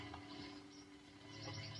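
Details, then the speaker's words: Ashthorpe Strat copy guitar with all single-coil pickups sitting idle, giving a steady low hum with hiss and loud crackly bursts. This is typical single-coil noise, and the pickups may also be microphonic. "the only thing is that since it has all single coil pickups it's kind of noisy and i'm going to show you that right now"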